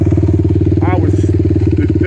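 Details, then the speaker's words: 2007 Suzuki LTR450 fuel-injected quad on a woods track: idles and revs fine, but fast steady single-cylinder thump crackles, pops and bangs under load with no power; fuel system to be cleaned. "It'll idle and rev fine, but oh, if you don't stall it. You guys hear that popping and banging? It's got like no balls."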